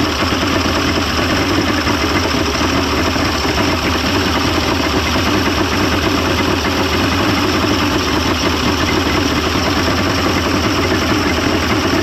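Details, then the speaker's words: 1995 Mercury 200hp XR6 Blackmax two-stroke outboard, after timing adjustment and clearing carb jets: loud steady burble holding even throughout, no stumbling or surging; runs much better than yesterday, normal idle. "it didn't sound like that yesterday at all I mean it actually sounds like it's like ready to go"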